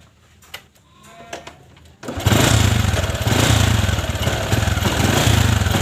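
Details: Honda Supra 125 carbureted motorcycle, cold engine; catches and revs but stumbles and surges unevenly under high throttle instead of pulling cleanly, normal once warm; carburetor jet passages being checked as suspected cause.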